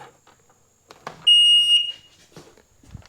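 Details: 2001 Sea-Doo GTX DI with a substitute tether fitted and the diagnostic tool connected: one clear, high-pitched half-second beep in a quiet room as the electronics wake normally; the maintenance light comes on.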